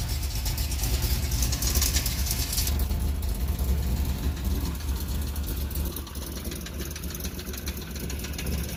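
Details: LS1 Z28 V8 with Comp Cams and SLP parts, spun rod bearing: deep, heavy knocking at idle, roughly two to three per second under the V8 rumble; rod knock.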